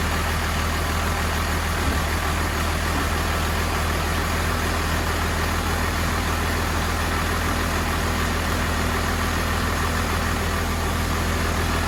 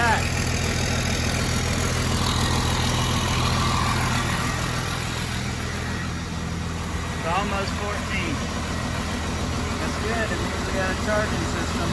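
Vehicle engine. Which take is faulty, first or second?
first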